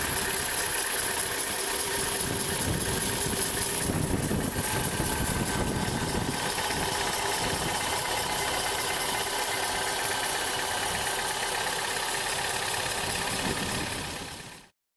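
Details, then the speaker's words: Chevrolet Aveo T300 cold start at idle: thin steady whistle and squeak from the alternator belt tensioner pulley bearing; fixed with SKF 6203-2RSH bearing or GATES T39291 tensioner assembly. "Что касается проблемы, это свист небольшой. Я вставлю видео, как это все слышно, как это все происходит."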